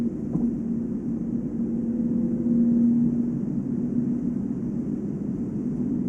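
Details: Volvo S80 steady low hum around 230 Hz over road noise at about 145 km/h (±5), only on new 245/40 R18 Goodyear Eagle F1 Asymmetric 6 summer tires; unchanged by acceleration, braking or cornering, no wheel play; owner suspects tire tread or rim, not wheel bearing.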